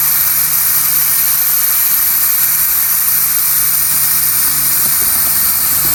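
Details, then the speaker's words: Mitsubishi Evo turbo build, dyno prep boost leak test: steady high hiss, no engine beat, air escaping where injector O-rings seal at the intake manifold; leak confirmed, as expected. "So, we just did the boost leak on it. It is leaking um the O-rings on the injectors. Uh that's leaking on there."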